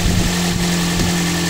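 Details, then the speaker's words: Toyota Yaris engine after water pump replacement and belt refit, coolant added: steady, even idle with a smooth low hum and no whine, squeal or rattle; the earlier noise is gone, running quiet and healthy. "Okay guys, so ayan, tahimik na naman, wala nang ingay."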